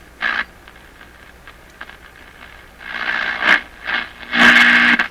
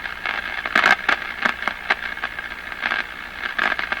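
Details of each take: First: Crosley 43FB battery tube farm radio, first power-up after 50 years, A and B voltages good, dial swept by hand to the high end: bursts of hiss and whistling with quiet gaps between. The set is receiving and working. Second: Crosley 43FB tube farm radio, first power-up after 50 years, B+ being raised while watching the meter: sharp, irregular crackling and crashing static with no steady signal. It is noisy, and the cause has not been found.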